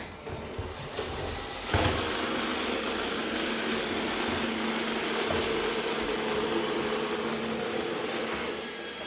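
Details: iRobot robot vacuum: steady, rough grinding rasp throughout while running, something in the drive or brushes grinding; grinding noise.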